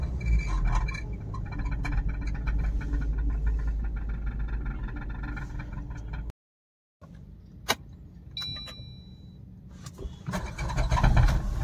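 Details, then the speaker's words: Suzuki Baleno with the engine running and revved: steady low drone with a buzzy rattle of about four per second, then quieter revs; the exhaust silencer underneath is vibrating against the underbody, possibly knocked on the road. "जो आवाज़ है friends नीचे से silencer यानी की exhaust से आवाजें कुछ कहीं पे गाड़ी छू गई है रास्ते में"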